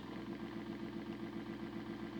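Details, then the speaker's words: Motor on a home-made model-railway decoder tester, drawing about half an amp at 25% and over an amp at 50%: quiet buzzing hum with uneven fluttering clatter; arcing inside, owner suspects the motor is cooked and frying decoders; rough running. "well Jesus dropped man that motor sounds terrible oh she's arcing inside so I'm guessing that the motors cooked"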